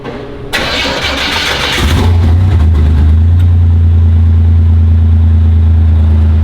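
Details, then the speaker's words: 1987 Buick Grand National, awaiting stainless exhaust: cold start, cranks, catches cleanly with a cold rev, then settles into a deep, even, steady idle with smooth low rumble, no misses or knocks. "Big cold rev guy, baby. Big cold rev guy."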